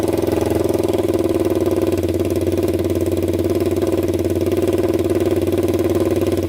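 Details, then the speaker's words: 1999 Honda 400EX quad after rebuild (new piston, valve seals, cleaned valves) that previously smoked, restarted: steady even single-cylinder thump about three beats a second, no misses or knocks, zero exhaust smoke; smoking believed fixed, normal idle. "i don't see any smoke all right guys absolutely zero smoke coming out of that pipe so i'm pretty sure we fixed it so that feels pretty good"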